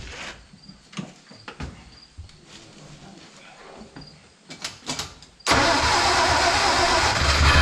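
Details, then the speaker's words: 1946 Hudson Commodore straight-six, first start after head removal and carbon cleaning, low compression of about 20–40, temporary 12V battery: clicks and cranking, then a steady, even idle with no knocks and the oil light off; normal idle. "man that's great awesome car is actually idling now it's running which is freaking awesome you don't have to do anything with that engine"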